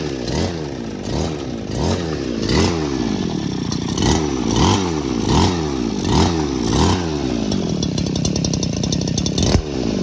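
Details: Old two-stroke lawn trimmer, brought in because it would not start on the pull and the recoil rope stuck without retracting; after repair it idles low and buzzy, pitch swaying about every 0.7 s, normal low idle.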